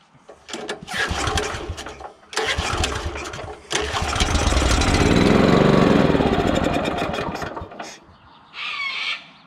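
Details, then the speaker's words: Honda GX340 petrol engine on an auger, after a throttle linkage adjustment. Several pull-start bursts catch only briefly, then one run swells and fades within seconds. The engine won't pull-start and dies straight away; the spark plug is heavily carboned. Hard starting and stalling. "thank you I still having trouble getting this thing to bloody start pulled the spark plug out it's pretty carboned up"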